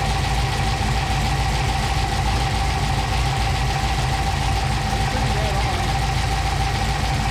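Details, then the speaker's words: 1955 Chevy Apache with a 6.2 V8 stroker (Scat kit, AFR heads) and a Holley system still learning. Steady, even low rumble and a smooth unbroken idle with no knocks or misses. Cylinder exhaust temperatures all read pretty close. Normal idle. "But okay, sounds good now. they're all pretty close."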